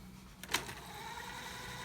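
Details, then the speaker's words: Sanyo VTC6500 VCR, E-750 cassette: a click as the mechanism engages, then a steady even high whir; rewind works well, normal rewind. "and rewind is working well and fast forward is also working"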